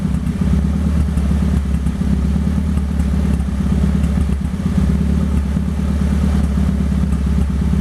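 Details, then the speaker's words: 1998 Toyota Paseo turbo build (Precision 5831e turbo, Haltech ECU), launch control demo: steady high rev with rapid choppy crackle as launch control cuts in and out; working as it should. "I could give you guys a little bit of preview of the launch control if you like."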